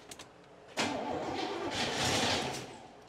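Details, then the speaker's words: 1981 Pontiac Bonneville Safari wagon, sitting about 20 years in a swamp, in Park, cold (20 below), with ether: starter cranks with a few weak uneven catches that never pick up; weak fire, carburetor badly corroded, no start. "a weak fire it's probably got weak everything that carburetor looks like it's stored at the bottom of the sea"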